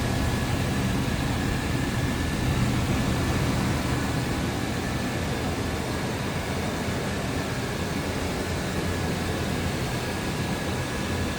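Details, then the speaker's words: 1994 Chevrolet Silverado 1500, 305 V8, with AC running (newer compressor): steady low idle with fan hiss, no knocks or misses; runs smooth. "Runs smooth, sounds good, no surprises underneath the hood."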